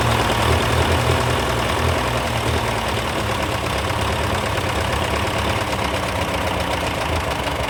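Old tractor engine idling steadily with a low, even throb and no loud ticking on top.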